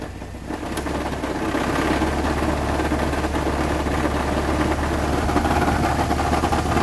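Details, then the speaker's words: 1998 Chevy S10 2.2L four-cylinder with a new clutch, 20 psi oil pressure at idle and about 40 revved: uneven low knock about three per second that gets worse with AC load; it began under hard first-gear acceleration, and owner is unsure whether engine or transmission. "I'm gonna demonstrate the sound here all right start it up and if you push some load on the motor it gets worse"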